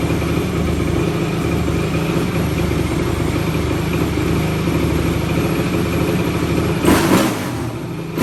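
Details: 2004 Yamaha YFZ450 single-cylinder quad, zero compression on gauge, started with brake cleaner sprayed in intake, carburetor suspected: idles unevenly, stumbling and loping, throttle blip near end; running rough, cause not confirmed.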